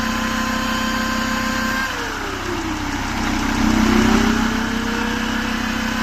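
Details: Mercedes-Benz E-Class with OM647 270 CDI diesel: starts easily with no smoke, but a clear turbo whistle dips and climbs as revs change, pointing to turbocharger noise.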